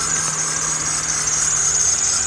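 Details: Toyota Matrix with an automatic belt tensioner, idling: loud, steady high squeal from the serpentine belt slipping on its pulleys. It stops briefly when water is squirted on the belt, confirming the belt; it had been sprayed with sticky belt dressing.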